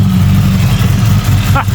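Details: 1997 Ford EL Fairmont Ghia 4.0 inline-six with a Crow 2221514 "Stage 4" billet cam, untuned and running very rich: uneven, lumpy, choppy loping idle; cammed idle.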